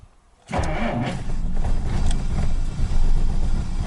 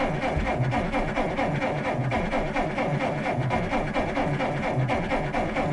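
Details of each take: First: 1947 Dodge that failed to start over several days, starting once checked, charger removed, power confirmed to the coil: catches instantly after short crank, settles into smooth, even idle without misses or knocks; best it has ever started. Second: 1947 Dodge failing to start over several days: steady rhythmic starter churning about two beats a second for several seconds then stops without firing; cranks but no start, owner suspects electrical problem, petrol smell, cause unconfirmed.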